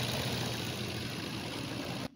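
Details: Maruti Suzuki Swift Dzire petrol (new model) with a complaint of heavy vibration and noise at start. After the belts were checked for pulley bearing noise and the engine mounting was fitted, it gives a steady, even, smooth idle with no knocks or rattles. Normal idle.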